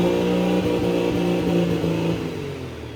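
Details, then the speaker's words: Pro Street truck with newly installed Rossler TH400 transmission: engine revs, then the tone sinks and fades within seconds instead of settling into idle, stalling and seemingly losing power; cause unknown. "why does it keep dying I don't know it's like actually losing power"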